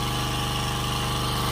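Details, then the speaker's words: Generac 79cc gas water pump, repaired months earlier (new carburetor, spark plug, adapted Honda air box; decompression spring suspected): pumping out a basement under load with a steady even thrum and regular firing, no misses or knocks. "just pumping up my basement now so it's been a few months since I fixed this I fix it on Christmas and now it's April"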